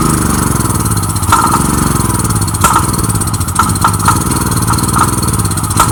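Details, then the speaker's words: Generic 389 cc engine on a General RS5500 portable generator, with starting fluid sprayed directly into the carburetor intake. It catches and runs unevenly with sharp pops but won't stay running; fuel is not reaching the system, and it will need rebuilding. "it starts and it runs with the starting fluid but it doesn't stay on because the fuel is not getting to the system"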